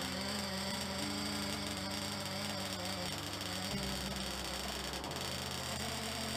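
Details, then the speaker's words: Nitro engine pulled out and fitted with a Nova carb; owner believes it is still running very rich from break-in. Throttle blips to confirm fuel delivery give a high buzzy note with a burbly, uneven edge and pitch steps. "I pulled the motor out put the Nova carb on I believe the motors still very rich from being broken in and see if I can fire it up give it a few blips the throttle just to ensure that it is receiving gas"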